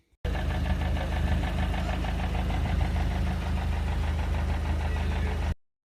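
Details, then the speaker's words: Vauxhall Astra H SRi 1.8 petrol at idle, already had intake cam VVT dephaser replaced: loose, fast uneven rattling knock from top end, a few per second, less bad than before; owner suspects VVT dephaser pulley, cause unconfirmed. "back on this astro again uh it's making like a like a knocking noise it's definitely from the top end"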